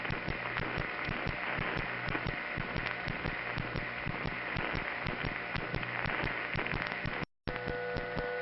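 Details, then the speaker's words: 1977 New York City East 167th Street central office, call to supervision test: steady low hum with busy patter of clicks on top; that office's normal power-plant noise. "now let's call the East 167 Street building here's the East one 67th Street office noise"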